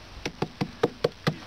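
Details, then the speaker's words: Arbolite (wood-chip concrete) block cast with Iskitim cement that set well, still damp: tapped by hand, it gives six crisp, evenly spaced taps, each ringing clean and hard, showing a solid, well-set block. "Итак вот наш арлит он получился вот так вот он стучит звенит не знаю Слышно нет"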